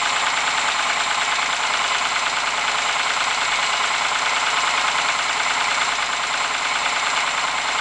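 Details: Ford Sierra engine at idle: sharp, tinny, fairly regular tapping about three times a second over steady idle; engine knock, cause unclear.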